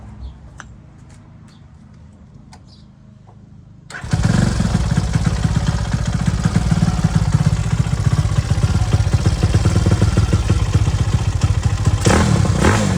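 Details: ZS190 engine in a Grom-clone bike with 212cc big-bore cylinder, four-valve Daytona head and new spark plug, restarted after one heat cycle: fires after a quiet lead-in and holds a fast, lumpy idle with crisp exhaust; running strong, some tuning left.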